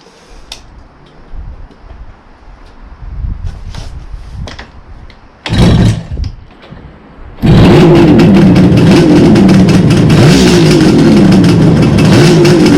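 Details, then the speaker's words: 1971 Kawasaki H1 500 two-stroke motorcycle, 50 years old, cold start: a few quiet knocks, then it catches and settles into a busy, even two-stroke idle with no stumbling; starts easily and sounds healthy. "Good starter. A lot of these two-strokes are never a problem to start it."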